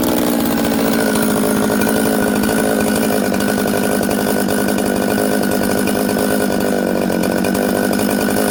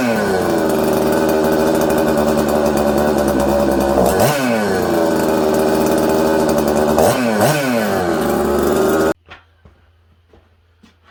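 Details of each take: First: Newly built Buckin's 266 chainsaw that ran poorly from an air leak, fixed by sealing the oil pump O-ring with assembly silicone and retorquing; loud steady two-stroke buzz holding even pitch without hunting or stalling, starts, idles and settles quickly. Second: Newly built Buckin's 266 chainsaw at first firing: screams at high revs, dips, recovers, and is slow to drop, then cuts out instead of idling; erratic, hard-to-tune idle, suspected air leak causing lean running.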